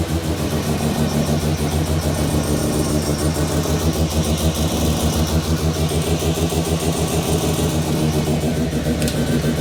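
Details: New Mazda 13B bridgeport rotary just after its first start, cooling system being bled and temperature watched: busy, choppy idle with a steady lumpy pulse, no knocks or scraping; healthy idle.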